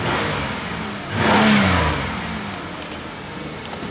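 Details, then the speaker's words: 2008 Pontiac Grand Prix with power steering leak from driver-side rack and pinion, microphone on the ground: quick smooth rev blip then even quiet run, no knocks or ticks; owner says runs like a champ for its mileage; normal running. "so we'll go ahead and start her up and put her on the ground the camera on the ground car runs like a champ for the amount of mileage on"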